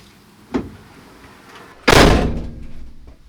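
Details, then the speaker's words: Peugeot Boxer L2H2 rear door slammed after adding Dodo Mat sound deadening: soft thud, then hard slam with short clattery ring-out. Tighter than before but still rattling where it hits the other door. "actually the other one is already tighter still noisy because it hits the other door but way tighter"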